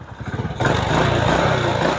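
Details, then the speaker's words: Honda Supra motorcycle with DC CDI that won't start on the electric starter but starts on the kick starter; a few kicks, catches at once and settles into a steady even idle, normal kick start. "Jadi, sepeda motor ini menyala dan berjalan dengan lancar. Cukup halus."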